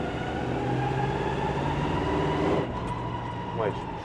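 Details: Dodge Ramcharger V8 idling steadily with an even low rumble and no knocks. It still smokes from the driver-side tailpipe despite a valve seal change, and compression is present on all cylinders. A leak-down test is considered next.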